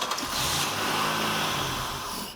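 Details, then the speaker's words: Buick LeSabre that sat for a long time and won't start: cranks and catches briefly only on sprayed carburetor cleaner as artificial fuel, then fades; confirmed no-start from lack of fuel. "whoa there you have it so we're definitely down to fuel no doubt about it"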